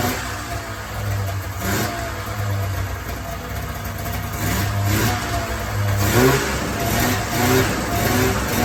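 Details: 1994 Polaris Indy 440 two-cylinder liquid-cooled two-stroke snowmobile, revived after sitting 12 years: buzz climbs and falls through throttle blips, pulling cleanly without stumbling on tank fuel; clutch engagement RPM uncertain, runs well.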